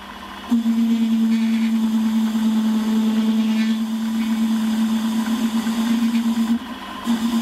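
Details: Holzmann ED400FD lathe turning a long bar to 24.85 mm diameter, with a half-millimetre depth of cut and no tailstock center. Steady, wavering buzz once the cut starts, dropping out briefly twice. Chatter from the long unsupported overhang.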